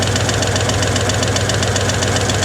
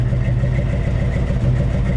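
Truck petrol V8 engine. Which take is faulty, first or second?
first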